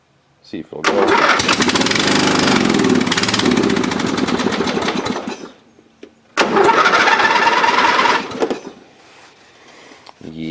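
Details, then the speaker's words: Dynamark riding lawn mower that sat unused, carburetor not yet removed: engine catches, runs rough about four seconds, dies, restarts briefly and quits again; dirty carburetor. "yeah still not not doing good let's say so you can get it running a little bit longer"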